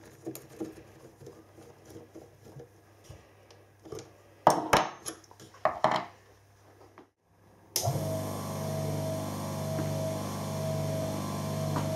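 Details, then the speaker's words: Three-phase motor rewired from star to Delta with a capacitor and run on single-phase 240 V, turning in the correct direction: after bench clatter, spins up to a smooth, quiet, steady hum with no growl or rubbing; normal running. "its nail runnin in the correct direction we love to talk it sounds nice and quiet wait"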